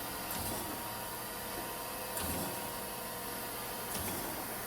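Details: Chevalier FSG1632AD-II surface grinder after rebuild, in automatic surface grinding mode with auto downfeed: steady motor hum with a soft thump at each table reversal roughly every two seconds, normal smooth cycle.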